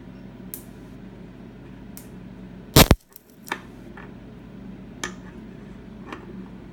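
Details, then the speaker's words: After a gap is shorted, a low hum is broken by one sharp double crack and a few faint snaps; the owner suspects AC run capacitors popping as leftover charge discharges back into the network, not confirmed. "I'm sure this you can actually hear the AC run caps are popping the charge that's back suppress into the network"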